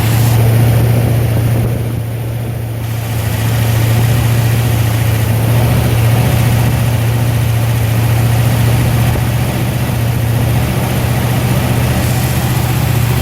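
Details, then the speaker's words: Cold-start idle after Holley Sniper electric fuel pump upgrade, with return line via tank drain and Holley dead-head regulator fixing low fuel pressure: deep, steady low rumble, even beat, no misses or knocks; normal cold idle. "go ahead and crank it up for you on this is a cold start"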